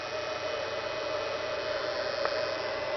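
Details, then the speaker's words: Battery charger running from a modified sine wave inverter in a solar-powered camper, recorded close up: constant mid-pitched electrical buzz over a steady hiss; charger buzzing, owner suspects the modified sine wave inverter. "I think that's because I have a modified sine wave inverter. I hope I don't burn this charger out one day."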